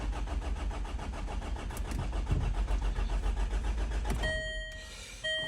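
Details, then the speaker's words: 2010 Land Rover Freelander 2 diesel, warm engine: cranks steadily at about three and a half turns a second but never fires; starts from cold, OBD points to a faulty cam sensor that fails when hot. "starting issue the engine's warm at the moment and uh when i try and start it this is the result"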